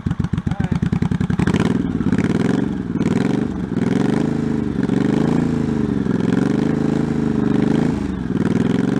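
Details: 1984 Honda Shadow VT700c V-twin, first startup after sitting over 7 years, carbs and fuel lines rebuilt, main tank off, started with starting fluid; cranks, catches and settles into a lumpy rolling beat with throttle blips; runs, slightly uneven still.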